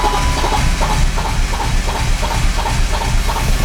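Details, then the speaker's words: BMW E39 that won't start: steady starter cranking at about three beats a second with no catch or firing; the spark plugs smell of fuel and look poor, so crank no-start traced to fuel-fouled plugs, to be removed and cleaned. "well here we have our issue the spark PLS aren't fulfilling their Duty so let's extract them and clean them"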